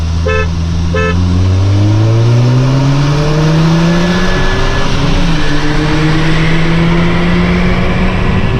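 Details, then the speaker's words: 2012 VW MK6 GTI 2.0T pulling: a thin high whistle, the diverter valve screaming, rides over the engine. The leaking factory diverter valve loses boost, before the Go Fast Bits DV+ upgrade. "You can clearly hear the diverter valve like screaming basically."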